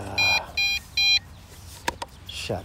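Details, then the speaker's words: MJX Bugs 5W brushless GPS quadcopter, 7.4V 1800mAh LiPo; three sharp high beeps about 0.4 s apart, then quiet: low-battery warning that starts at 50% battery. "it's just that that noise and that starts to that noise when the battery's at 50% that's ridiculous"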